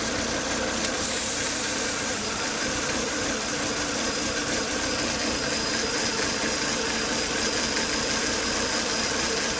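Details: Volvo S80 2.5T steady high-pitched whine and hiss over quiet idle after 10–20 minutes running; strong crankcase vacuum at the oil cap and coolant boiling; abnormal internal noise, cause not established.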